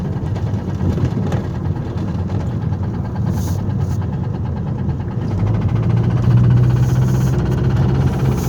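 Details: Engine driving under load with a dull, irregular low knock in the rumble, heavier on throttle; rod knock from a worn rod bearing.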